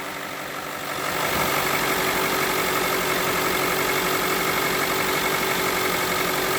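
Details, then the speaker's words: Mitsubishi Lancer X running cold on gas after replacing a crankshaft pulley with broken rubber, the cause of a loud engine knock: steady idle with no knocking, slightly uneven from the gas and the cold; normal idle. "немножко колбасит мой это из за того что он на газу работает блюд холодный"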